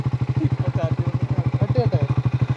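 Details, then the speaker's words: Triumph Scrambler 400X motorcycle, push-start attempted in second gear; steady rapid cranking pulses, around ten a second, no catch or firing; owner suspects heat after switching off; engine cranks but won't start. "ഗിയറിലാണ് പോണേ, പക്ഷേ വണ്ടി സ്റ്റാർട്ടാവല്ലോ."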